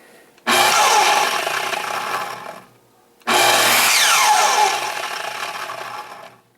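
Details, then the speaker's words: Makita 12-inch miter saw, model LS1220, running unloaded: harsh, gritty roar, then whines down in falling pitch; running rough, suspected bad motor bearing. "okay so here we have a nice 12-inch Makeda miter saw model Alice 12:20 and it's running really rough let's see"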